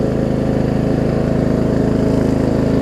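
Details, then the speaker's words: Murray Select 42-inch 16.5 hp riding mower, finished after gas tank install, cleaning and deck leveling; single-cylinder engine runs steady, even and quiet with no knocks or rattles; belt slightly tight; normal running. "Alright. I'm actually relatively happy with how this thing turned out. That's pretty quiet, too."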